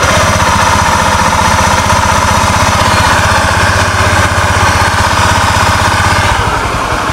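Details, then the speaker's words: Honda Scoopy ESP with the CVT removed, engine run and revved: a constant hum-whine remains without the gearbox, pointing to worn crankshaft bearings that whine at higher revs. "teman-teman jelas setelah bagian CPT dilepas ini suaranya masih tetap tidak hilang berarti jelas permasalahannya berasal dari putaran lahar kerk as"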